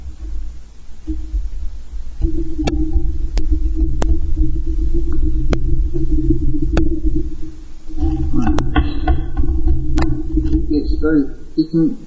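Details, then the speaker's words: Homemade manual self-guiding coil winder: low rumbling groan with irregular clicks as the handle is run back and forth; the rubber bar is very sticky and binding, needs easing off and axle grease. "But it is very sticky right now. I just run it backwards and forwards until it eases off."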